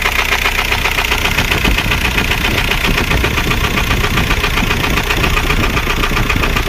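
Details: VW Golf 4 1.9 TDI 116 AJM diesel at idle: heavy, regular knock about two and a half per second, a deep hammer; confirmed rod bearing failure, engine replaced.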